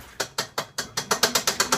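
Sharp, regular clicks about five per second, like a pawl ratcheting, speeding up slightly; abnormal mechanical noise from the washer, cause unknown.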